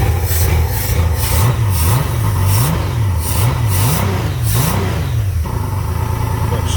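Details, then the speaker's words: Carbureted Honda Goldwing GL1500, cold, air cleaner off, after earlier backfiring: smooth flat-six blips rising and falling cleanly, settling to even idle, running much better. Normal revving. "running a lot better than what she was"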